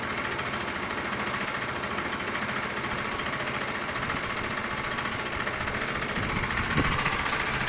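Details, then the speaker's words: Kawasaki motorcycle with a new replacement carburettor, warming up at idle after earlier fuel-starvation trouble: steady, even putter with no stumbling or hunting; idle sounds normal. "i'm not sure you would have completely heard it guys but it did rise so my guess is that it's at its kind of optimum performance there"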